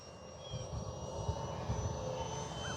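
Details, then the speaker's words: FMS T-28 Trojan 800mm electric RC plane on maiden flight: distant steady motor buzz and clean propeller drone passing overhead, no surging or rattle; sounds good but needs 70-80% throttle to cruise, could use more power. "I mean it sounds good it looks good it flies good it's just could use a little bit more power so that you're cruising at like 30 or 40 percent throttle instead of 70 to 80."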